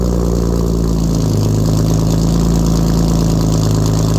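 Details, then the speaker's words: BMW E36 cold start with catless M3 midpipe, no muffler and no cats: deep booming idle with heavy low drone and raw exhaust rasp, far too loud; loud exhaust drone. "i'm gonna cold started for you guys so you can hear how bad the muffler no muffler no cat is i hate it"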